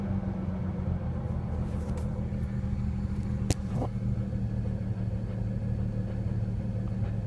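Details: 2007 BMW 335i coupe idling and light revs: steady rumble with slightly uneven, lumpy note, a cylinder dropping out now and then; misfire suspected from ignition coil or spark plug.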